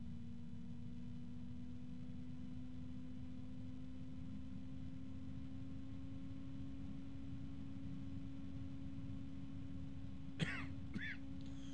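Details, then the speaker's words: Lian Li Uni Fan SL-INF 120 ARGB reverse-blade fan at its lowest speed: airflow hiss with a clear steady hum and strong higher harmonic tones; a noticeably tonal, noisy fan, louder than a Noctua A12x25. "but yeah so at the lowest speed it's already Audible I keep on hearing harmonics there's a strong one there oh there's another strong"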